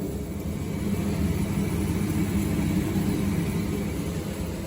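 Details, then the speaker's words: Boiler fan motor after cleaning dust from its blades, unserviced for about 8 years and previously noisy and vibrating; now a steady even low hum with no rattle or wobble. "fan motorunun kanatlarındaki toz tabakasını temizledik kanatları rahatladı biraz mil kısmına falso rahatladı"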